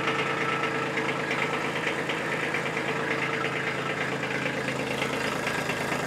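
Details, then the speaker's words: Kubota B2601 compact tractor diesel started briefly after its 50-hour service with fresh engine oil and a new oil filter: even diesel clatter at a steady idle with no misses or stray knocks; the engine idles cleanly. "I never get tired of hearing that sound I love it"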